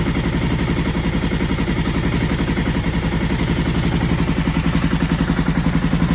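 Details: Aprilia ETV1000 Caponord V-twin idling with a lumpy, uneven chuff, about four beats a second; the misfire turned out to be the front cam timing one tooth off.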